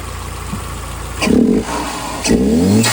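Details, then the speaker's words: 2010 Hyundai Genesis Coupe R-Spec turbo 2.0L Theta II with a newly installed GReddy-style FV blow-off valve: two short revs, each with a quick air whoosh as the throttle closes and little flutter after, where the old one fluttered every shift; normal. "Working pretty good. It's not fluttering as much as it was. It was fluttering like all the time, literally every shift."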